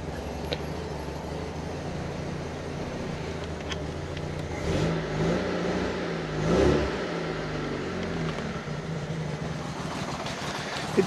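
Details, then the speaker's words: Fiat Panda 4x4 Sisley, Fire engine, after a water pump replacement, started cold on choke with water over the spark plugs: uneven chuffing with surges and dips, rough tick-over; cause unknown. "tick over very rough for some reason and I'm not 100% sure why"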